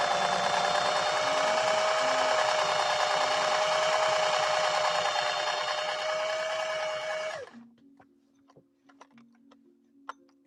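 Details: Restored 1961 Singer 401A sewing machine sewing with a Schmetz 90/14 universal needle and 100 silk thread: even, light whir, steady pitch, no clatter or knocking, then a clean stop; not clanky, runs smoothly.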